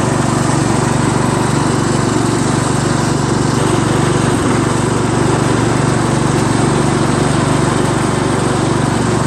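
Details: Craftsman LT1000 lawn tractor after new drive belt install (owner unsure it's the right belt), first test drive around the block: loud even single-cylinder drone with steady beat, no misses or knocks; running normally.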